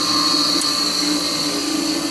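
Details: Second, half-horsepower Craftsman motor, compared with the quiet early-to-mid-1950s Delta 6-inch jointer's half-horse motor: a loud, steady high whine with a lower hum underneath at constant speed, much noisier than it should be; owner thinks it needs bearings.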